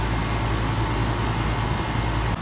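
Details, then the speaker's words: Home AC outdoor condenser after its capacitor was replaced (its fan had stopped spinning and the house was warming): a steady low hum with an even fan rush and no buzzing or rattling. The unit is running normally, with temperature dropping. "seems really healthy now everything's working great I'm very happy yeah that's doing just fine"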